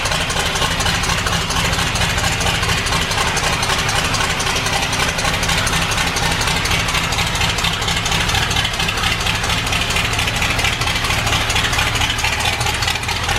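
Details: Ford Bronco V8 with a newly installed FiTech EFI and replacement cylinder head, running after the ignition timing was set following hard starting. Even, steady idle with a constant beat and no stumbling or ticking: a normal, properly timed idle.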